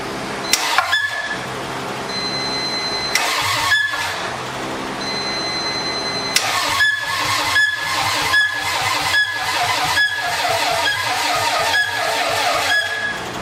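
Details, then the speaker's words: Toyota MR2 engine build, cranked to build oil pressure with spark plugs left out: several bursts of cranking with a sharp high squeak on each stroke, caused by air pushing up on the coils through the empty plug holes. "That squeaking noise was air pushing up on the coil because I forgot to put spark plugs in there."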